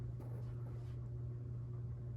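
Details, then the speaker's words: 52-inch CEC Newport ceiling fan running, with a steady low electrical hum and bearing noise under an even whir; both the buzz and the bearing noise grow louder the longer it runs. "Yeah, this thing has got quite a hum to it as well. It gets louder the longer you run it. Both the bearing noise and the buzz."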